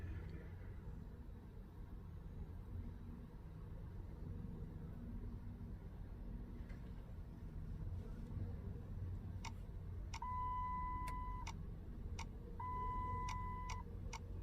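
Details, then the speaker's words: 2014 Dodge Challenger 5.7 Hemi cranks for about 10 seconds without starting, chime near the end, fuel pump heard running; ASD relay not powering up, caused by a loose terminal in TIPM connector C6 pin 9. "the vehicle just cranks until it gives up cranking for like 10 seconds but i can hear the fuel pump cycle on and is cycling and running when it shuts out"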